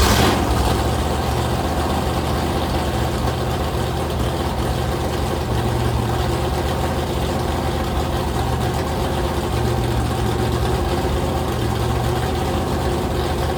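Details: Rebuilt 426 Gen 2 Hemi crate engine (new heads, intake, pistons) on a run stand, flat-tappet cam break-in at fast idle, 50 psi oil pressure, warming to about 210°F: smooth deep even drone, no ticking or knocking; cam broke in without failure.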